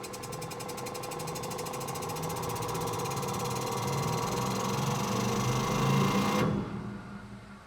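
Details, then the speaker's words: Worn electronic EDC damper from a BMW E38 7 Series run on an electromagnetic dyno at very high speed and frequency: fast, regular chatter as it pumps inside, with no-resistance free play in part of the stroke, then a sharp cutoff. "On our electromagnetic dyno, we can test the shock absorber at very high speeds, very high frequencies. And you can see, you can hear how it's pumping inside."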